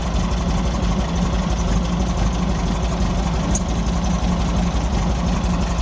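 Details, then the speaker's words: 1964 Volkswagen Beetle air-cooled four after spark plug change: lumpy uneven idle; pulling plug leads 2 and 4 changed note considerably, 1 and 3 barely, suggesting a misfiring cylinder; carburetor blockage suspected. "when I took off uh number four and number two uh which are on opposite sides of the engine um the note of the engine changed considerably but when I took off number one and number three not so much of a change"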